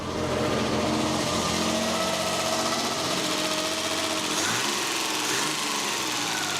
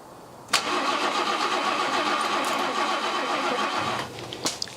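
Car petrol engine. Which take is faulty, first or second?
second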